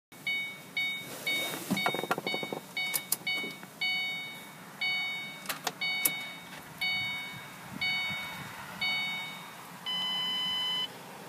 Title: Mustang won't start